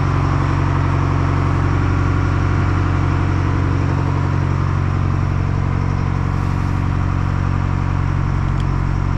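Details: Detroit 4-53T two-stroke turbo diesel running a two-tank WVO system at about -20 to -28°C, restarted after replacing a burst diesel fuel hose: deep, steady idle, even low drone around 160 pulses a minute, no misses or knocks; healthy.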